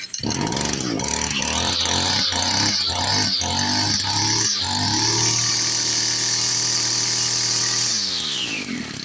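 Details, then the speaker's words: Echo SRM-210 two-stroke trimmer after primer bulb replacement: several pull-start attempts, then it catches, revs to a high steady buzz, holds and winds down, running properly. "Just one primer bulb, $7 at AutoZone for a 3-pack. And we got a running weed eater."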